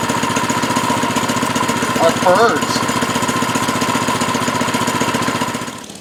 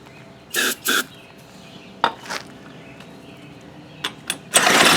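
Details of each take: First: Baja Doodle Bug mini bike, 2.8 hp single-cylinder, after fitting a new carburetor, fuel line and air filter; quick, even putter with steady firing, fading out at the end: runs cleanly. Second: Baja Doodle Bug mini bike, abandoned non-runner with a carb issue, pulled over on a shot of brake cleaner; a few sharp pops then the small engine catches with a loud rasp: fires on starting fluid, so it has spark.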